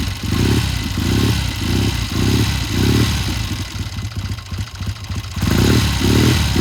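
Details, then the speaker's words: 1972 Triumph TR6 motorcycle with a warm-up problem: starts and runs well but surges and breaks into ragged pops and spits every time it gets into mid-range; tuner considers raising the carburetor needle one notch. "now I can hear it it's still popping and spitting started really good sounds really good but it it was popping in spitting every time he got into mid-range"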